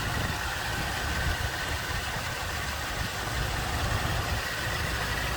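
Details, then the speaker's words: 1977 Ford LTD II Squire Wagon, 87,953 miles believed original, original-looking engine bay with newer radiator and AC hoses: even low idle with soft steady rumble, no knocks or misses; looks and sounds as expected, normal idle. "Looks like a newer radiator, some newer AC hoses. Looks and sounds like you'd expect."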